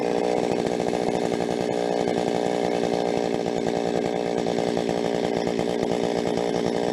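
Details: Rebuilt Stihl 026 two-stroke chainsaw, cutting: full-throttle scream with brief pops and stumbles breaking the buzz at the top end under load; mixture tweaks didn't help, owner suspects spark plug too hot.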